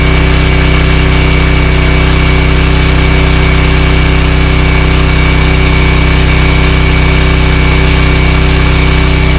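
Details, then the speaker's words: Cheap Chinese ETQ portable diesel generator after oil change: loud, steady diesel thrum at constant speed, even beat, no clatter; sounds quieter and less mechanical than before; running normally. "it's noisy but it sounds less mechanical this sounds a little quieter"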